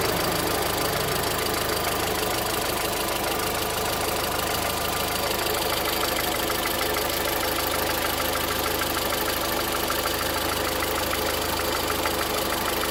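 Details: VW Voyage 2013 with EA111 engine at idle making a strange noise: a sharp, regular ticking knock at a few per second runs through the idle; engine knocking, source not identified.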